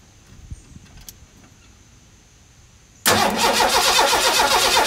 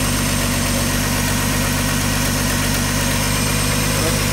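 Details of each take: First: 1985 Ford F-150 with a 300 inline six and 240,000 miles, on its first crank after the exploded cam gear was replaced. The starter spins the engine evenly at about four beats a second, but it never fires: cranks, no start. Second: 1985 Ford F-150 300 straight six with 240,000 miles, running after cam gear replacement: steady, even idle with smooth low rumble, no knocks or misses; well broken in and running fine, though a slight exhaust leak is noted and cap and rotor likely due.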